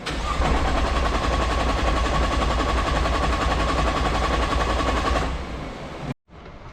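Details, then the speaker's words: Nissan R35 GTR during an AEM high-flow fuel pump install, cranked to bleed pressure from the lines: steady cranking at three to four turns a second that never fires, a crank-no-start with no fuel pressure. "Once you get all the pressure out of the lines, it should sound like this. Where it just cranks, but nothing happens."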